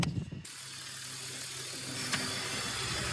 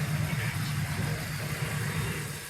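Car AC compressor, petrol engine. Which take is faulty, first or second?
first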